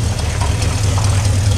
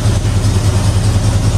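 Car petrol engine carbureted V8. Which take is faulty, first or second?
second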